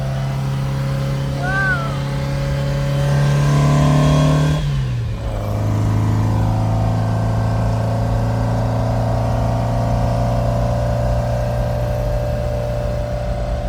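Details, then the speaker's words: 1957 VW Oval ragtop flat-four after swapping Weber 44 carbs for 40s, while driving: a strong rev drops off cleanly, then a steady, even drone with no misses or stumbles. Running healthy. "Sounds good. Sounds really, really good."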